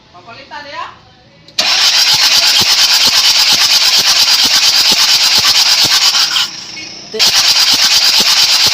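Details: Kia Bongo 3 diesel with hard starting: catches suddenly, then hammers out a loud, harsh, uneven beat with a dropout; faulty injector identified as the cause.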